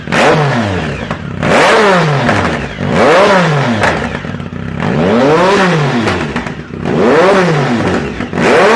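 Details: 2010 Speed Triple SE with a new, untuned Competition Werkes exhaust and no SAI block-offs fitted: revs sweep up and fall back, with faint crackle as the throttle closes. Exhaust popping on deceleration; cause suspected, not confirmed.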